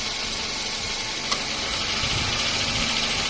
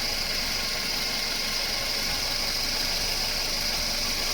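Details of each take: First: Toyota Wish idling with AC on, before replacing the AC compressor unit and bearing: loud steady hiss with faint uneven rattling, noise from the compressor or its bearing suspected. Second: Toyota Wish idling with AC on after a compressor front bearing, compressor oil, belt and system flush: steady even hiss and hum, quiet, no grinding; the compressor was loud before the repair; sound normal.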